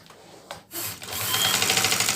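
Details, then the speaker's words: Sewing machine that ran heavy and noisy as if jammed, run with the shuttle removed: light, even buzz, no heavy jam, normal machine sound, showing the whole problem lies in the shuttle. "देखें य देखें कि अभी machine की आवाज उस तरह नहीं आ रही ठीक हो गया ये नॉर्मल मशीन की आवाज है ये आ रही है तो मशीन की आवाज नहीं आ रही इसका मतलब है कि जो हमारा मसला था वो सारा का सारा इस शेडल में है"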